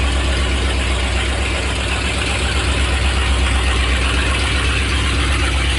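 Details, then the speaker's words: 1984 Ford Bronco, 351 Windsor 5.8L V8, first start in about a month after Hedman long-tube headers, open headers, not revved: deep loud even burble about four pulses a second, no misses or knocks; healthy normal idle. "okay just move to the Bronco for the first time in probably a month it's been kind of sitting in the backyard where I was getting some work done obviously the headers as well as some just miscellaneous maintenance stuff but uh super loud obviously I'm not going full throttle and revving it yet"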